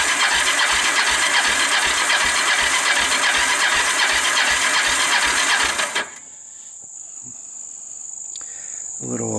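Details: Kawasaki Bayou 300 ATV, fire damaged, that won't start, dry compression test with the choke open: about six seconds of fast, even cranking with soft, light compression pulses; compression reads only about 60–65 PSI, so it is low.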